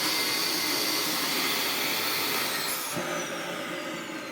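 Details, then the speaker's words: Upright Dyson vacuum, probably clogged: steady high motor roar, then near three seconds tone drops and shifts as the blockage release valve opens. "if you can hear, there is a secondary sound conveniently making an appearance. The sound of the blockage release valve that sits under here opening."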